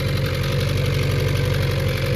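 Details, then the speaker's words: Honda Prelude engine at cold idle just after rebuild (valve lash, new springs, retainers, LMAs; timing belt retightened): steady low beat with faint metallic ting and rattle on top; cause not identified, left to warm up. "Got a little ting and rattling from this guy."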